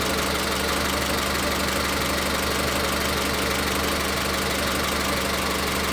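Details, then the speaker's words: Car at idle during a cylinder power-balance test done by unplugging individual coil connectors: the idle stumbles with an uneven beat about once a second. Cylinder 3 is identified as misfiring, and low compression is suspected. Cylinder 3 misfire, low compression suspected. "En este caso, claramente vimos que la falla de encendido viene en el cilindro tres."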